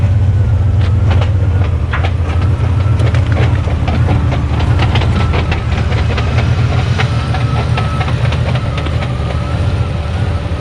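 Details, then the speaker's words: Fox-body Mustang with budget turbo 302 GT40 build, about 500 hp, broken T5 manual transmission: loud uneven metallic clatter like a box of bolts over low drone while driving; owner guesses broken input, third gear and countershaft teeth; quiet with clutch pedal pressed. "We ended up breaking Dad's T5 transmission. It sounds like a box of bolts when you actually drive around a little bit with it naturally because there's probably teeth all over the bottom of the transmission."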